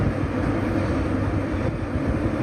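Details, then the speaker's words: 2000 Ford Windstar SE, about 130,000 miles, warm: low, uneven, loping idle near stalling; rough idle, cause unconfirmed. "Kind of idles a little low, but it keeps going. It's like almost at the stalling point, but not quite."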